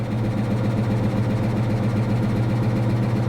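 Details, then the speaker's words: 2022 Honda Civic Sport at salvage auction, recently started, idling, not revved: faint loosely regular tapping two or three per second under the hum; suspected slight rod knock, possibly lifters or oil pressure; water ingestion thought unlikely; cause not confirmed. "unfortunately that engine doesn't sound good I'm not going to rev it up it sounds like it may actually have a slight rod knock"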